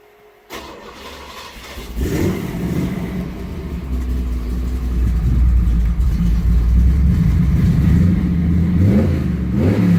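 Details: Ford F100 with freshly built 408 cubic inch Windsor stroker small block, after the fuel delivery problem was fixed: V8 starts and settles, then several throttle blips; deep, even exhaust pulse, no knocks or ticks; normal healthy running.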